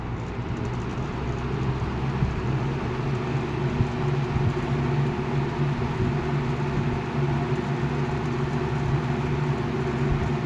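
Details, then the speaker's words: 1980 Galaxy 3713 three-speed box fan with shaded-pole motor on high, drawing 2 amps: steady hum with a buzzy rattle from the loose rear grille vibrating. "Start to hear the grills rattling. It's the back one."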